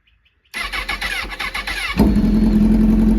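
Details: Honda CBR1000RR crashed in a police chase, after Marvel Mystery Oil soak: starter cranks in quick regular pulses about 1.5 s, then catches cleanly and settles to steady idle; normal start, smoke easing.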